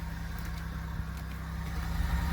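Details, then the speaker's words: Buick LeSabre with a 3800 Series II V6, idling after a cold start. Low, even, steady hum with no knocks, ticks or stumbles; good oil pressure, charging and coolant temp, healthy. "oh yeah always can rely on your Buick LeSabre z-- the good old 3800 series 2 engine"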